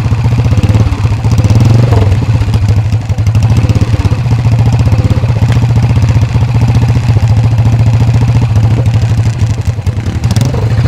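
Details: Workshop-restored 1970s Alan Clews CCM big-single racer dirt bike, oil carried in the frame: deep, loud thumping exhaust beats that rise and settle with the throttle, firing evenly. The engine runs healthy.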